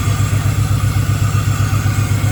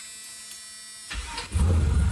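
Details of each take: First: Camaro with a 6.0 V8 swap, first start: a loud, lumpy idle with a heavy regular thump and uneven popping, as two cylinders misfire from a miswired coil harness while the tune was being worked out. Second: Camaro with swapped 6.0 engine, first start after troubleshooting: cranks, catches and settles into deep, even idle with no misfire or stumble: normal start and idle.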